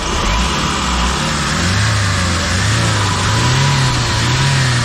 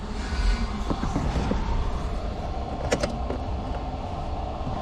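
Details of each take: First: Hyundai H100 CRDi diesel with timing chain, 215,268 km, after chain set replacement for heavy chain slap, cold start: steady, even idle clatter with no chain rattle or slapping; sounds healthy. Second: Hyundai H100 CRDi diesel pickup, 215,268 km, idling: loose, uneven metallic clatter and scattered ticks over the rumble from a slack timing chain slapping its guide, before chain replacement.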